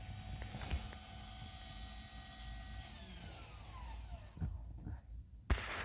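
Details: 2003 Toyota 4Runner 4.0L, original OEM starter at 408,465 miles: a thin electric whine spins up and winds down with no cranking beat behind it. The starter is freewheeling without engaging the flywheel, so the engine won't turn or start.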